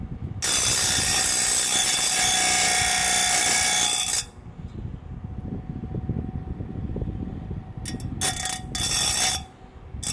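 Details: Rubine Pro Eco appliance, heard from downstairs outside: a harsh, loud rattling roar for about four seconds, then a lower rumble with short loud bursts; abnormally noisy, cause not identified.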